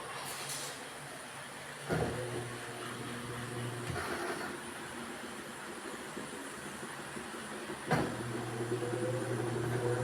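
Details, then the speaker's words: Automatic washing machine on spin with no load: low motor hum and heavy thumps every two to four seconds as the drum wobbles; soft, bouncy suspension rods worn out, banging worse when loaded; wash cycle fine. "Yan pag umikot siya makalabo siya wable. So lalo yan wala siyang labada. Pero pag may labada na yan masalabog diyan."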